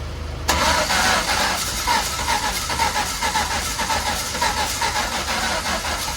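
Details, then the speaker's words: Mk1 Ford Fiesta with a turbo Zetec, start-up fuel increased. It catches after a short crank, then runs lumpy and stumbling, only on two cylinders, needing at least 50% throttle; oil is spewing from the engine. "I mean, it's running like an absolute dog, and if I don't give it at least 50% throttle, then nothing happens."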